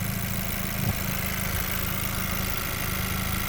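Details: 2020 Chevrolet with lean codes: steady, even idle after the loose air box is held down; the loose air box was the vacuum leak causing the lean fuel trims.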